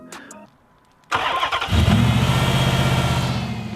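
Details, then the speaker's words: 2005–2010 Chrysler 300C 5.7L Hemi V8, just after replacing all 8 spark plug wires: quick crank, clean fire, then an even, throaty idle with no stumble or misfire. Normal start and idle after the repair. "Okay, so finally, once you have replaced all 8 spark plug wires and everything's buttoned up and put back together, let's give it a start and hear that baby purr."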